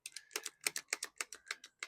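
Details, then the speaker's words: Cordless battery string trimmer that won't start: with a charged battery fitted, trigger gives rapid dry clicks, about seven per second, with no motor hum; motor never runs. Corroded-looking terminals suspected. "Tampoco trabaja con la batería que sí está cargada que le puse aquella."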